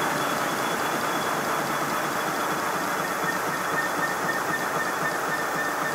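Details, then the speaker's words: Simplex converted to GWR Prairie tank model steam locomotive test run with new milled blast nozzle refitted: fast airy chuffs about four a second under a thin steady high whistle; whistle vanished with nozzle removed, acoustic blast nozzle whistle. "yes it's definitely an acoustic problem i fitted a piece of tube down over the end of the blast nozzle and run the engine again and this time it squeaked at high speed but not at low speed"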